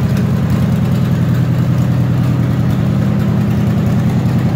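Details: 1946 International rat rod pickup, Chevy 350 V8 with four-barrel, automatic, electric cooling fans: deep, even burble at steady idle, no knocks, ticks or misses; smooth normal idle.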